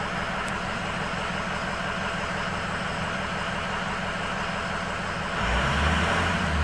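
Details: High idle with cylinder 8 shut off for a cylinder balance test: lumpy, uneven beat about four pulses a second over the exhaust rumble; one cylinder seems not firing, cause unconfirmed.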